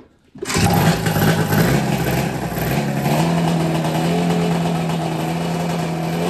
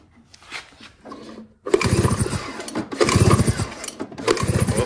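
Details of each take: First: Snowmobile drag sled being prepped, first start after installing a JDI ignition, with fuel poured into the carb: it catches almost instantly, blips, then holds a buzzy, steady two-stroke run without misses. It is then shut off; normal running. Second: Snowmobile prepped for snow drag racing after fitting a JDI ignition, cranked to test for spark; three one-second bursts of even cranking with no firing because the kill switch was left off; spark fine once switched on.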